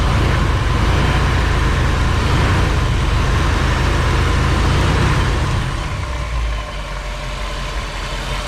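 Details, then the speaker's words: 1959 Chevy Bel Air 348 V8 with a 5-blade fan, fresh oil change, idling warm at operating temperature: deep, even lope with steady firing and no knock or tick. The belt squeals only on throttle. Normal warm idle. "Let it warm back up to operating temperature and get the oil nice and warm, and we'll check the oil level. It's much happier with clean oil on it, that's for sure."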